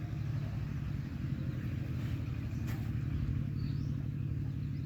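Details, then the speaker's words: Water pump motor after its bearings were replaced and greased: low even hum with a soft steady rumble, no rasp or squeal; runs quietly and smoothly, old bearings had caused the earlier noise. "ก็เสียงมันก็เบาเพราะว่าเขาเปลี่ยนลูกบีเสียงนี้เงียบเลย"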